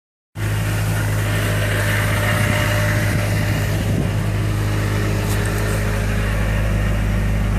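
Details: Miata with Jackson Racing M45 supercharger at idle: heavy steady drone with coarse gritty undertone from blower area; owner suspects bad supercharger bearings.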